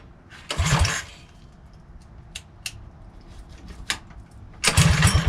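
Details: Mighty Moto minibike first start after fitting a new pull start following off-road damage, not run in a couple of weeks; short pull-cord bursts with quiet clatter, then the small engine fires and runs normally.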